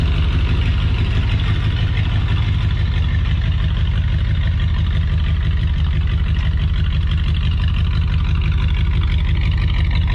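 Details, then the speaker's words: Ford F-350 that was cut in half, shortened and running again, first drive in Drive: deep, steady rumble at about three pulses a second with no knocks or misses; healthy. "Thing sounds good."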